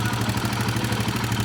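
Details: Royal Enfield Himalayan 450, about 14,000 km, idle after head opened and tappet/shim work: fast even mechanical clatter, several taps a second; top-end noise persists, to be reported to the company.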